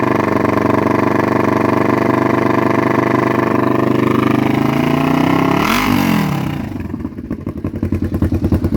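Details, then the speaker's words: Kawasaki Vulcan EN500 498cc twin with glasspack-style exhausts, new right carburetor gasket, fuel from overflow (suspected sticking float needle); revs hang high then drop to uneven loping idle; hot air from both exhausts, owner unsure if misfiring: rough running. "yeah it's still having some issues guys that I'm trying to work out slowly trying to figure out what exactly be wrong with it"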